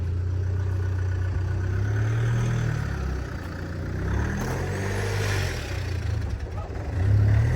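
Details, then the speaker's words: Range Rover (automatic) bought at auction, with crash damage and no coolant, driven up onto a driveway: idle hunts and sags, the low drone wavering unevenly as if about to die, rough running close to stalling. "hear it like trying to stall kind of oh he's nearly done it"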